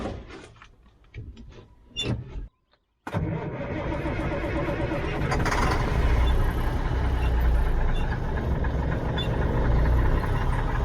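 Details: 1977 Mack R model diesel truck, about 45 years old: deep, even cranking at about 200 beats a minute for eight seconds with the accelerator slightly pressed. It never fires.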